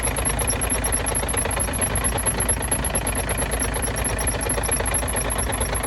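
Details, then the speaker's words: Truck diesel at cold idle after an exhaust repair: a thin, high chirp repeats several times a second near the front cover and fades after running. "Ну всё я там всё установил всё чётко теперь надо запустить и посмотреть что там у меня скрипит"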